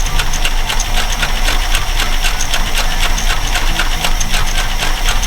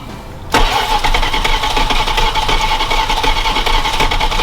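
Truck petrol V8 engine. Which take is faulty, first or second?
second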